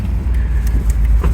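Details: 1992 Chevy Silverado OBS V8 truck at nearly 332,000 miles, said to drive well; short burst of deep, smooth rumble with no tapping or knocking, healthy.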